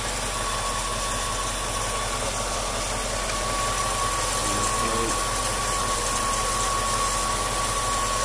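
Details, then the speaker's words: Cadillac Northstar engine started after bypassing a fully clogged coolant pipe, following radiator and thermostat replacement and bleeding that didn't cure overheating; steady even idle with faint constant whine, no knocks; overheating considered fixed. "okay so that's perfect this car is not going to be overheating anymore"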